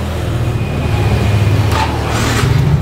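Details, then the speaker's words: Old Yamaha X-Ride motorbike after repairing a wiring short circuit that caused total failure: steady, even low rumble with smooth exhaust beat and no knocks, misses or rattles; normal running after repair. "aman sentosa, nggak ada masalah."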